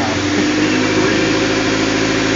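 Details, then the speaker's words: 2001 Honda CR-V 2.0L at idle during a manifold vacuum test. Vacuum was low until the exhaust was opened up; it now reads almost 21 inches, "much happier." Steady, even idle with a slightly loud open-exhaust note, a little noisy but running smoothly. "Almost 21 inches. That's much happier. A little noisy, but run."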